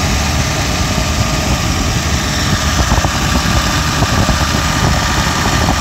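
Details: BMW V12, idler tensioner not yet replaced: a smooth, even low rumble at steady idle with no knocks or misses. It is a normal, healthy idle, though the owner says it sounds nasty when cold.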